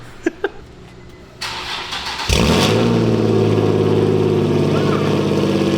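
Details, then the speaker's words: Nissan VQ engine, essentially straight-piped exhaust: starter cranks, catches with sharp bark, settles into loud raspy droning unmuffled idle. "All right, guys, so the car is on the ground and we're about to turn it on and cringe at how bad it sounds because it's essentially a straight pipe VQ."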